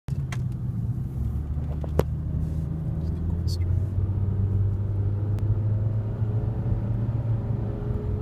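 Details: 2008 Nissan Altima while driving: a heavy, airplane-like low drone under road rumble that grows louder when accelerating and softens when slowing, with a faint rising tone; the owner suspects a CVT transmission issue, unconfirmed.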